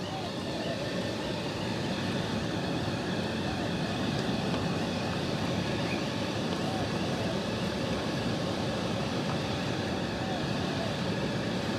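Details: Miele T8929 WP heat pump dryer, a dump find: drum runs with even steady whooshing rumble, no knocks; very occasional high-pitched squeak possibly from a bearing, though unsure it has one.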